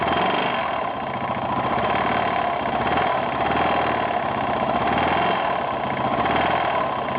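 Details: 1992 Yamaha XT600E (3TB) single-cylinder thumping at steady idle with a faint tick mixed in; owner reports a strange knocking or ticking noise at idle, cause unclear.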